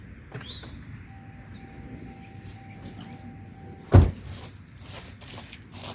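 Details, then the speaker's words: Old Crown Vic V8 that sits a lot and always has a low battery, started with the key: a chime, then one heavy clunk as the starter barely turns the engine once and stops; the battery is too weak. "Okay, well, I guess that tells us something about the condition of the battery, just like I thought, because it sits here so long in between starts. It just does not have the battery power to do anything more than just barely turn that engine one time."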